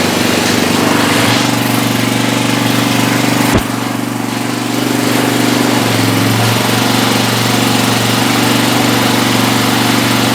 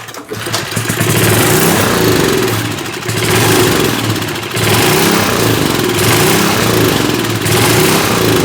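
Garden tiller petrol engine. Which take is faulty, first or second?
second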